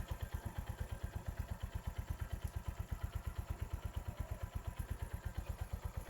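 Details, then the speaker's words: Motorcycle after engine rebuild with all internal bearings replaced except cam bearings, faulty silencer pipe: steady, even single-cylinder thump about three per second, the former growling gone; normal idle. "তো যে সাউন্ড ছিল ইঞ্জিনের মধ্যে ঘর ঘর ঘর ঘর ঘর ঘর ঘর ঘর এরকম শব্দ হতো, সেটা কিন্তু চলে গেছে। তো এখন কিন্তু একদম স্মুথ সাউন্ড চলে আসছে।"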